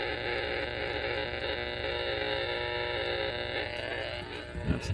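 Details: RF noise heard on an AM receiver (600 kHz and 40 m) and direction-found with a loop and beam: a steady, harsh mains buzz with raspy static even at low gain, traced to a power pole with a bad lightning arrester.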